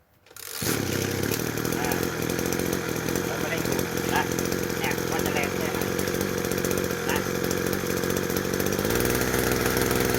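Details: Two-stroke sprayer engine (767 type) after replacing the carburettor needle/rubber diaphragm part: strong, even buzz holding steady and picking up smoothly near the end; running healthy and clean.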